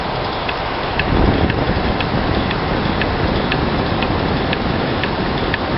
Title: MED#11 ASP-02 Abnormal Sound